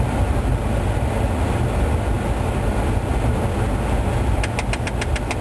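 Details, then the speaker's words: 2004 GMC Envoy SLT with automatic climate control, idling: mode door actuator clicks rapidly (about seven a second) after HVAC recalibration, air stuck on defrost vents after blower control module replacement; stripped actuator gears, recalibration won't fix it, actuator needs replacing. "you can hear there's the actuator clicking away again like I said this every calibration is not going to magically fix a broken actuator"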